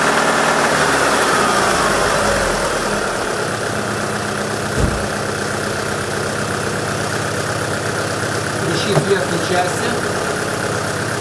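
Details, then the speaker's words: Alfa Romeo 166 2.0 TS on 10W-60 Selenia Racing oil, idling: a loose, irregular light tick and crackle of about three a second from the top of the engine; it shows on throttle transitions while driving but not under load, has grown over months, and its source is not yet found. "Ну что звук идёт сверху Даже при езде слышно но не всегда натяг даёшь нету на переходных моделях появляется"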